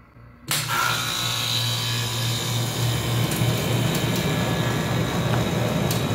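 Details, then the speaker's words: Aircon that was not cooling, with rodent-chewed wires taped and the part reinstalled, tested on plug-in. Steady low hum with constant mechanical rattle: compressor running normally and blowing cold air. "So ayun, tumutunog na yung compressor. Yan yung palatandaan na gumana. At saka malamig na yung buga."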